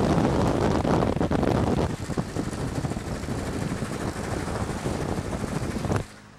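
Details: Toyota 22R truck engine driving on the road, with rough, rapid knocking under wind rush after being redlined in a mud tank; bad knock at idle too; rod knock.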